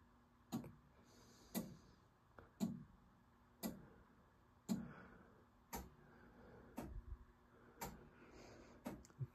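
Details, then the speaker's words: Gottlieb Amazon Hunt pinball, System 80A MPU and sound board, special boot ROM, entering lamp test: two relays each click twice, then coin lockout solenoid fires twice, sharp clicks about once a second; CPU-to-driver device selects working normally. "Two relays each click twice, and then the coin lockout solenoid will fire twice, and then it goes into this lamp chase mode."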